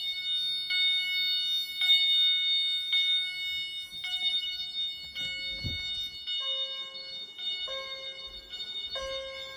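Bright, clear chime strikes ring out about once a second in a steady sequence with no buzz; the alarm chime is sounding normally.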